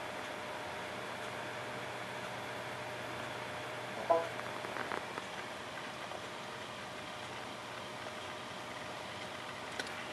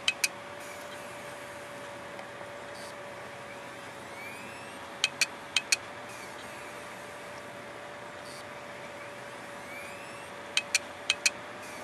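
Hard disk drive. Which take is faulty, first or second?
second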